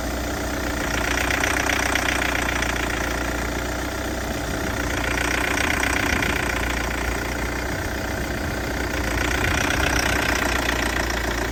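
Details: Peugeot 508 SW 2.0 Allure that started, shut off after 20 seconds, then restarted only after repeated tries and shows a warning message: uneven, rough idle with a faint ticking about four beats a second; cause unknown.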